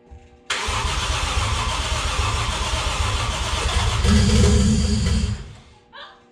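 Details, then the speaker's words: Toyota 1JZ in a Datsun 280Z, unedited first start on a hand-built ECU base map: engine catches at once and runs fast and steady for about five seconds before being killed; kind of high idle, RPM unknown. "No! Got a little bit. It was kind of high idle, but that's cool."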